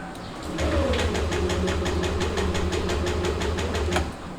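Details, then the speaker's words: Yamaha NMAX V2 scooter that won't start without repeated throttle: starter whirs with steady ticking about four a second but the engine never catches and holds idle; ISC (idle speed control) issue, battery indicator blinking. "ito yung ating nmax ayaw na niyang mag-start Although nag-i-start pala siya Actually Pero kailangan mo siyang bombahin yung silinyado"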